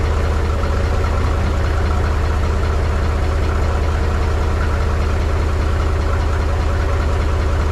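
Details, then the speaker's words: Mahindra 3525 diesel tractor, unused about a month and a half, cold start at 18–19°F with low battery on booster pack; heavy, lumpy, uneven chug that smoothed out after four to five minutes. Rough cold idle. "y'all she's definitely cold this morning she doesn't like too much I don't think it's been over a month and a half since I crank it up that battery's a little low"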